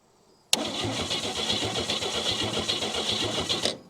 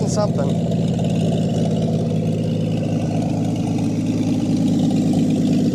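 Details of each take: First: 1959 Chevy Biscayne, 235 engine with Powerglide, sat in a junkyard probably 30 years or more, fresh battery: the engine spins over freely at about four pulses a second but never catches. There is no spark, so the points are to be cleaned. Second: 1959 Chevy Biscayne, long sat in a junkyard, fuel pump disconnected, running off the gas left in a leaking carburetor: steady, even low idle with a calm rhythmic burble and no misses or knocks; smooth idle.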